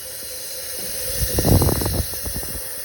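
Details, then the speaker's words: 1970 Chevy C10, 383 stroker replacing the 307, during valve spring work: leak-down test on cylinder number two through the spark plug hole, steady faint air hiss as the cylinder fails to hold pressure. "I'm also doing a leak test down leak test yeah a leak test down and I have this number two piston spark hole right here and - I haven't done I've done all the rest of them all around but if you can hear that air"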